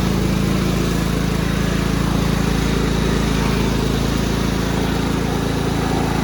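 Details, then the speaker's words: Cub Cadet rider's 16 hp horizontal-shaft Kohler, warming up on very dirty old oil before an oil change: even, regular putter of about three and a half beats a second, no misses or surging. Healthy idle. "let it run for a minute i don't want to run it too long this oil is disgusting but it runs great now"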